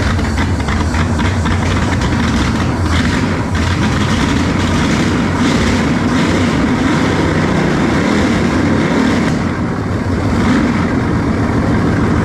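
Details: Engine test-running on a trusty 2-barrel carb swapped in for a used, rebuilt 4-barrel judged junk: loud, uneven fast-idle rumble with irregular popping, missing and blowing fire out; runs better than before, owner suspects air-fuel mixture needs adjusting.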